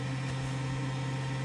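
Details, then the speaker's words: 2003 Bayliner 215 Bowrider stern-drive boat, engine-compartment bilge blower run before starting to clear fuel vapors: a smooth constant hum at one steady pitch with no rattle or wobble; the blower works properly. "our blower fan. This has to work with the covered engine. You have to run this for, you know, let's say two to five minutes before you ever turn the key if you don't take the engine cover off because that will exhaust all of the uh gas fumes and vapors out of the engine compartment."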